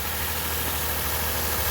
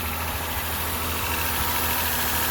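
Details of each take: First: 2006 Lexus IS250 petrol V6 at idle on first start after timing chain (stretched) and water pump replacement, with the ECU relearning. Old rattle is gone, but a slightly uneven, bubbling pulse remains; owner suspects a mild misfire, possibly spark plugs. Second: 2006 Lexus IS250 V6 just after water pump and timing chain replacement (old chain had stretched and rattled): smooth, steady first-start idle with no rattle; a slight misfire is noted, and the owner wonders whether the spark plugs need changing.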